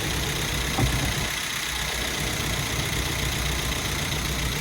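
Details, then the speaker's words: Rebuilt Hemi 5.7 V8 with MDS, first start with oil but no coolant, run briefly: steady, even idle with smooth low rumble and no knocks or ticks; running normally. "running pretty good runs good sounds good and this is trying to let it settle down a little bit"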